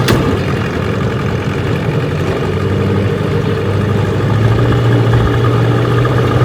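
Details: 1985 Johnson 6hp vintage outboard, restored, on a lake test run: steady, even buzz with no misses, knocking or rattles; normal healthy running.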